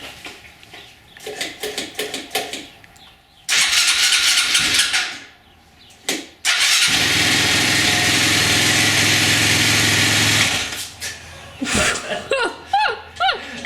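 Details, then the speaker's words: 2007 Husqvarna TE250 at first start after an Athena 300cc big-bore kit, cold oil, possibly on choke: the single catches and revs crisply in short bursts, then settles. The earlier rattle and clank seem reduced, though slight smoke suggests rich jetting. "Well, it runs. It runs. That's very good news. I don't think the engine is as noisy."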